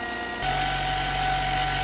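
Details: Vevor 8x14 mini lathe after upgrading the 3/4 hp brushed motor to a 1 hp servo motor and fixing interference: smooth, steady mid-pitched motor hum with no rubbing or scraping; drive running normally.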